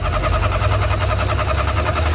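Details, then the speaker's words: VW camper van air-cooled engine, revived after 10+ years parked, idling loud, raw and uneven with the exhaust detached and rattling; running rich, dumping fuel. "rich it's a richness issue it's just dumping fuel"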